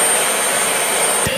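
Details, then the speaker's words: Dyson with a suction complaint, dirt bin removed to test the motor alone: a smooth, even high-pitched rush with a steady whistle, no grinding or rattle; the motor suction and running are normal. "Motor suction is good. The motor sounds good. It sounds like a Dyson. It doesn't have any kind of grinding noise."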